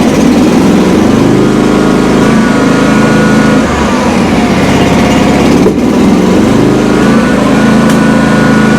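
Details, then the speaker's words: John Deere X300 with Kawasaki V-twin, a complaint of popping and cracking under load: loud, uneven run with occasional cracks and pops over the drone, worse than the day before; misfiring and backfiring, cause not yet found. "Now, when I ran this thing in yesterday, it wasn't doing anything like that. It wasn't popping and cracking nearly that bad."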